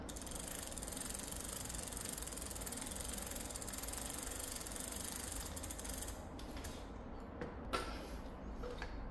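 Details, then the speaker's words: Korean alltobike bicycle internal gearbox freewheel ratchet without noise-reduction: fast, even pawl clicking for about six seconds that then slows and fades as it coasts; normal freewheel ratchet clicking. "이 소음 저감이 되지 않는 상태에서는이 정도 소리가 나고"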